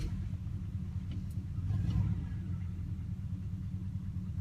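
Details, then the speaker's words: "Sweet71" after a cold start, now warm enough that its usually high idle has dropped: a low, smooth, even rumble with a steady beat and no misses, knocks or ticks. Owner says it's purring. Normal warm idle. "listen to her purr she's happy I haven't heard a purr like this in a long time typically she's high idle but I guess it's warm enough that she's purring this time that's incredible"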